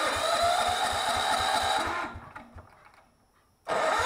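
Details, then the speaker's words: Miller Bluestar welder engine after sitting five years, before carb repair: runs rough and choppy for two seconds then dies; fuel in the carburettor bowl but not reaching the engine, gummed carburettor low idle jet. "I took that bolt off the bottom of the carburetor Bowl and I had fuel there but I wasn't getting any fuel into the engine so we had to go back and reclaim the carburetor"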